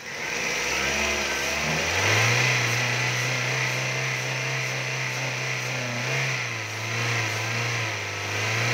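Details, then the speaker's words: 2002 Toyota Altis with a 1.8 (1794 cc) engine, with original, unopened engine bolts. The engine revs smoothly from idle to a steady higher rev without knocks or rattles; it sounds healthy and runs quietly. "Máy êm ru."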